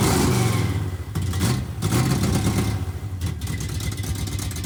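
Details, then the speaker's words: 1971 Plymouth Satellite 318 V8 with a Thermoquad carburetor in place of a Brawler 650, secondary pull-off rerouted to manifold vacuum: loping, stumbling idle with clattery misses and surging; running terrible. "Running terrible, so I'm going to try adjusting the idle mixture."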